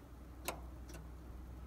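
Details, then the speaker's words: Second-owner John Deere machine, key on, parking brake switch off: reverser solenoids clicking; reverse sounds strong, forward gives two faint soft clicks; owner suspects the valve section of the dual-electromagnet solenoid. "and so this is going into reverse sounds energetic and happy and that's forward and it's less energetic and less happy i suppose so forward"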